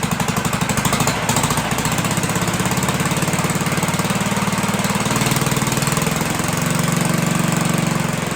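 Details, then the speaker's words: 1958 Gravely Model L, sat about a year or more, revived with oil checked and throttle hooked up; the muffler has a big hole and little smoke is seen. Quick, even single-cylinder chuff at steady speed with no misses or knocks, running well. "Clean that kill switch up. So yeah, there you have it. Runs pretty good, right?"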